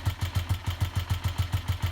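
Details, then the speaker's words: Honda CG125 single-cylinder, first start on borrowed battery, old fuel and uncleaned carburetor possibly gummed: slow thudding idle about six pulses a second, sitting too low; cause unconfirmed. "It is running, sort of. Still Idle sounds a little bit low, but"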